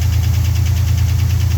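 Steady idle with a rapid, even knock, roughly nine a second, riding over the engine; it's knocking, though the source isn't pinned down.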